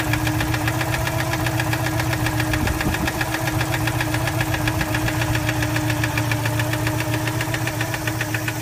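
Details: 1987 Citroën 2CV Special air-cooled twin at steady idle, noise appearing once warmed up: a fast, fairly even knock about three or four a second, not tappet noise but from inside the engine; internal engine knock, cause unknown.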